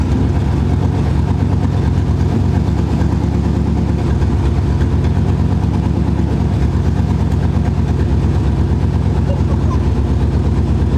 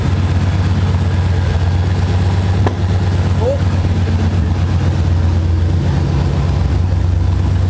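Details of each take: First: C4 Corvette V8 with mufflers removed, running through catalytic converters only: deep, steady idle burble with even low pulses and no misfire; sounds healthy. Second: C4 Corvette after fuel pressure regulator replacement (old one corroded): lumpy, uneven idle that stumbles like a cylinder dropping out; car still shakes when put in drive, lacks power; still misfiring, cause unconfirmed.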